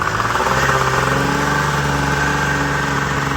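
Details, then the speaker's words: Rebuilt Tornado snowmobile two-stroke with new top end, air filters refitted, riding: steady crisp even note, no stumble or misfire, pulls cleanly with much better get-up-and-go. "Right off the hop, we got some get up and go. Way better. Way better."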